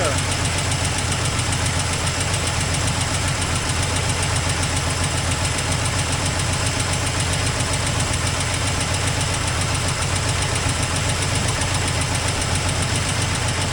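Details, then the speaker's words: 1984 Toyota Land Cruiser FJ60 six-cylinder, long-stored, first run: rough steady run with sharp ticking puff at each firing; exhaust leak, owner suspects no coolant, burning smell. "Got an exhaust leak. This thing's a beast. Oh yeah."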